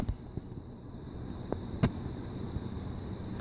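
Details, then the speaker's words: Mid-1980s Codep Stratoline EM series 52-inch closemount ceiling fan, stamped spinner motor, on high speed: soft steady whoosh of strong airflow, no ticking, scraping or growl; powerful, quiet, slightly wobbly. "so start off on high really good spin is powerful very powerful there's a lot of air"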